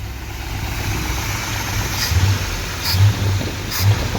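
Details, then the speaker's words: 1964 Corvette 327 V8 with Edelbrock carburetor, tuned about 45 minutes: deep, even burble at idle with a steady loping beat and no knocks or misses; sounds well tuned and healthy. "if you want to tell me that fuel injection is better than a carburetor I I won't believe you you just don't get that sound with EFI this is the abs-2 Edelbrock that that's clean fuel by the way 327 64 Corvette"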